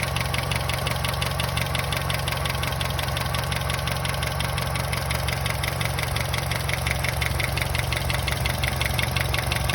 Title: Astra J 1.4T A14NET weird engine noise